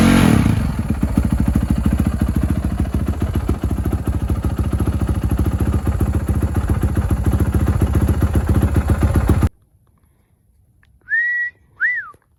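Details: Honda 450 engine rebuilt after the crank snapped and the piston went through the bottom end, first start: single revs with a loose, uneven top-end clatter over every firing beat, about three to four a second; owner suspects loose valves, unconfirmed.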